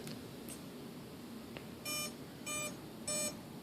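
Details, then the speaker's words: Tian Sheng Airbus A380 RC model on power-up with transmitter on: three short, evenly spaced high beeps about 0.6 s apart from only one ESC while the other stays silent and doesn't sing; BEC works, ESC or wiring fault. "Did you hear it beep that time? This one didn't do anything."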